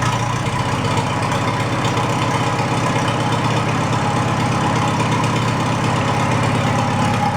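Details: Farmall A tractor, newly installed engine, after plugging intake manifold holes; running without coolant or radiator to warm up before valve adjustment: steady, even idle putter at constant pace, no skips or knocks, good oil pressure; healthy.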